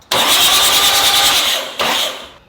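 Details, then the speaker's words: Oil-priming crank on a GQ Patrol diesel unstarted for 3.5 years, fuel stop solenoid disconnected so it can't start: fast even starter pulses, short second crank, no firing; oil now draining from the turbo return, confirming oil pressure. Normal cranking. "You can hear the oil coming up through the into the head. Look at this. Oil is now draining out of our turbo. So, we know we're getting oil pressure. We'll crank it a little bit more."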